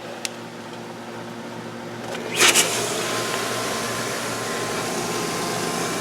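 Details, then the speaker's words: Pool pump after fitting a new filter multiport valve, back in filter mode; after a brief clunk it settles into a steady hum with rushing water, no gurgle or rattle, sight glass empty and waste line closed, running normally. "Nothing is in the sight glass, so line's totally waste pipe's totally closed off."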